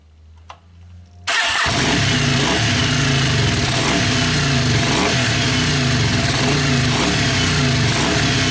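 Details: Yamaha Virago XV500 V-twin café racer with a newly mounted SU carburettor and ram pipe, mic near the ram pipe: brief crank catches at once into a loud, steady, lumpy idle with strong intake roar; starts and runs healthy.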